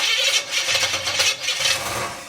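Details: 350 V8 truck first start, cranking after the distributor was turned one more tooth: a harsh scraping rattle rides over uneven turning. Cause unclear; an unhooked brake booster causing a large vacuum leak was found afterwards.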